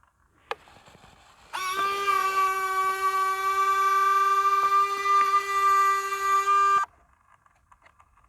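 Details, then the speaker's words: FMS F4U Corsair 1.7 m RC plane: steady mid-pitched electric buzz for about five seconds, then an abrupt cutoff as the flap servo settles at a certain position and buzzes; servo buzzing. "that's the flap servo that's the flap servo listen to it when it closes see it's just the flap servo it just got into a certain spot where it was wanting to it was wanting to uh sit there and make that noise"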